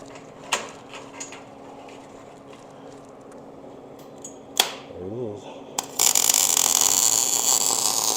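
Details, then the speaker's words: MIG welding a heavy-wall roll bar tube for a 1956/57 tunnel buggy, with the welder raised to about 18-6 and more wire speed: after some handling clanks, a steady crackling sizzle like frying bacon with less popping. This is a hot, well-set weld. "hear how like more sizzling it is and less like feedback and popping it's almost like a softer sound when it's really hot people say it should sound like you're cooking bacon that's not entirely untrue"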